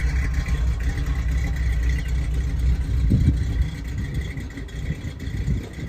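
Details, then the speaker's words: Ford Bronco idling after 11 years sitting, some carburetor leaks mostly fixed, heard from the rear at the exhaust: steady even slightly loping beat, no knocks or misses; normal idle. "all right well here we are got it running this thing's been sitting for 11 years and uh yeah sounds pretty dang good"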